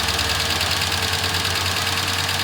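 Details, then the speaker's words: 1998 Ford Ranger 4.0 L V6 petrol, 62,993 miles, out of service about a year, idling: steady rapid tapping knock running evenly through the engine, location unidentified. "This one has a 4.0 L V6 with only 62,000 miles, but the engine is knocking. It's steady tapping, kicking, knocking."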